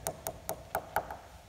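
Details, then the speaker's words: Tap test on a composite glider wing at annual inspection, at a dent on the top surface above the main spar; crisp rings turn dull where the outer skin has delaminated from the foam core, repair requires replacing the skin. "here big change there and that's where the outer skin of the wing skin is no longer attached to the foam inner"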